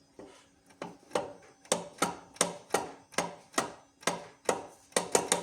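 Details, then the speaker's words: Low-mileage car, with removed gearbox being turned by hand: dry, sharp clicks about twice a second from free play; the car knocks when pulling off, CV joints checked fine, owner suspects differential planetary gears; unconfirmed. "Чути, коли з місця рушаєш тулчки."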